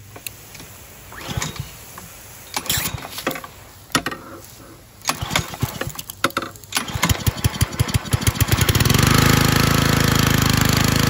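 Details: Husky gas pressure washer after replacing only the worn AR pump head and deteriorated seals, primed with water, choke on: several cord pulls, sputters and catches, then steady even small-engine run with no misses; normal running.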